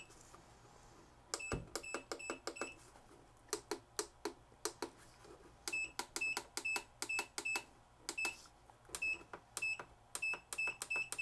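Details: Black & Decker VEC1095ABD 75A engine-start battery charger, about 20 years old, after its hard-to-push tact switches were replaced: each crisp press gives a short high beep, and the buttons now respond reliably.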